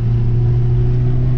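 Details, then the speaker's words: Audi S3 8P after new spark plugs and coil packs: steady deep engine drone holding even pitch under load while driving, no stutter or hesitation; previous slight misfire and black smoke gone. "and to be honest it's running smooth as anything now before there was a slight misfire"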